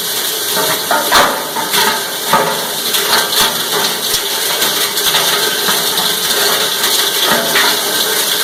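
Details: Cumberland 7.5 hp granulator, 12x12 cutting chamber, grinding PVC (Schedule 40 pipe, P-trap, fittings): dense, even chopping clatter of plastic with steady rotor noise, no knocking or labouring; normal grinding.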